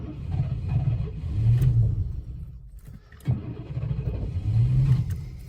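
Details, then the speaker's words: 1998 Chevrolet C1500 Silverado cranking: uneven starter cranking at about three pulses a second, surging as if almost catching but never firing; GM security system blocking the start, later fixed by synchronizing the key. "Oh, nearly sounds like it wants to go."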